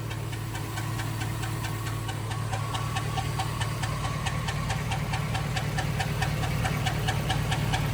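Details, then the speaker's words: 2006 Chevrolet Silverado on jack stands, heard from underneath at idle: a steady low rumble with a light metallic rattle of about three to four a second that sounds rotational. Owner suspects the torque converter or flex plate, source unknown. "yep still doing it that sounds rotational maybe it is the freaking torque or the uh flex plate I don't know I cannot tell where it's coming"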